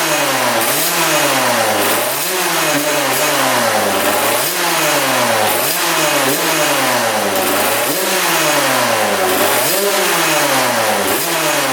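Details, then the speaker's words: 1999 Suzuki RM80 two-stroke, after backfiring through carb or pipe (suspected sheared flywheel Woodruff key), air screw 1.5 turns out, filter on: crisp clean revving blips with no misfire; now sounds much better; normal revving. "well that sounds a lot better what the heck"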